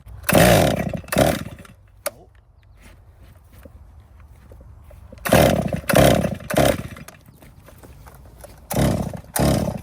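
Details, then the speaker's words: 2018 Stihl MS261 M-Tronic chainsaw, hot, started with throttle held open: short throttle bursts flatten and drop off instead of revving clean; bogging when hot, spark confirmed good, fuel starvation suspected, not confirmed. "[Music] [Music] I think it's starving for fuel."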